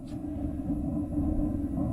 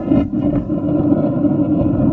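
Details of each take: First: RV water heater burner after closing the gas-air mixture adjuster that was letting in too much air: soft, steady low rumble with no whooping or sputtering, blue flame; quiet, normal burner flame. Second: RV water heater burner: steady roaring flame with uneven woofing dips and sputters; too much combustion air at the air shutter, flame blue with some orange causing soot, fixed by adjusting the air-gas mixer screw.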